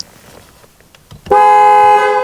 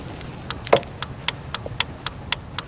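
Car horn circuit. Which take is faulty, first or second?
second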